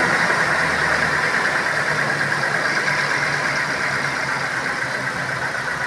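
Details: Petrol Toyota Innova idling after upgrade to a larger 75 Ah battery: steady, even engine hum with smooth unbroken rhythm, no knocks or misses; normal idle.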